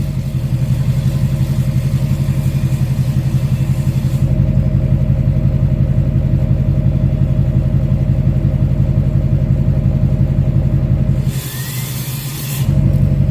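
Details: 2006 Chevy Silverado LBZ Duramax diesel, warm, 5-inch straight pipe with flow-through muffler, DSP5 tune four: deep steady idle rumble, even pulses, no hiss or miss; normal idle.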